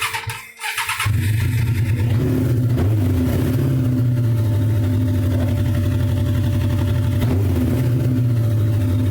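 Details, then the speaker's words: Suzuki GSX-R 1100 rat bike after Mikuni carb cleaning, first run after sitting 12 years with rotten fuel: catches quickly and settles into a steady, even low idle with no misses or knocks; four-cylinder runs reasonably well, and the kill switch works. "up sounds better [Music] and the kill switch works well I am uh I am blown away I I don't believe it sat for 12 years had rotten fuel all through it and fired up and runs reasonably well"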